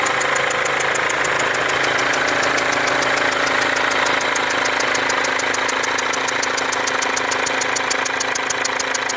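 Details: Mercedes W204 diesel with a leaking injector and burnt-on diesel residue around it: sharp, even ticking about four per second with a hiss over the idle; strong ticking and whistling at the leaking injector.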